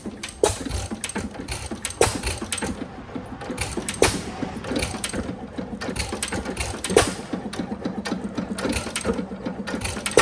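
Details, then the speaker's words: Recently bought 5 hp Sattley hit-and-miss engine before tuning, starts easily but has several compounding issues: loud firing bangs one to three seconds apart over valve and gear clatter; missing, irregular firing. "But, as you can see, it's trying to fire quite a bit. Sometimes it does, sometimes it doesn't."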